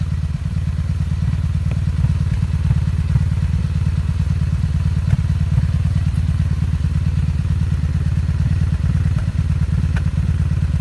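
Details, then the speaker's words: 2002 Honda Magna VF750C at idle: a low throbbing beat that stumbles and skips pulses. The misfire is mainly from one cylinder and a little from another on the same bank; cause unknown. "Miss is coming from this cylinder and a little bit of this one so it's still this entire Bank over here don't understand that"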